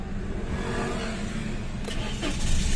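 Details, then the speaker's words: 2017 Toyota Wigo automatic that stalls intermittently and lacks power, check engine light on: starter churns about four seconds before catching and revving, a hard start traced to a loose camshaft sensor connector. "saglit lang kanina apat na segundo binilangan namin bago umandar magkakaroon kasi to ng rough idling tsaka start ability mal function pagka ganito"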